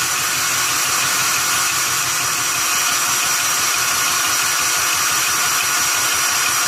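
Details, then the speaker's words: Barn-find 1971 Honda Trail CT70 single, running after restoring spark, on a temporary fuel supply; light, even patter under hiss with no misses or knocks, normal running. "She's a quiet little Trail 70, isn't it?"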